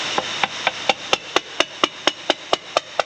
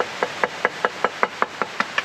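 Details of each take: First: Hammer tap test on a cracked part that was drill-stopped and ground out: steady taps about two a second, the ring going short and dull at the cracked spot, marking the crack. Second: Cracked part on a car being upgraded, tapped after the crack repair. About ten light taps each give a clear bright ring with no dull buzz, passing the knock test: clean ring on tap test.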